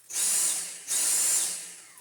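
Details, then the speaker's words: Dyson V6 vacuum: high motor whine surges, drops out, surges again and fades as the brushroll visibly blips; bearing needs cleaning. "now this is a little bit easier as well because it's giving us a small clue hear that and see the brushroll blip"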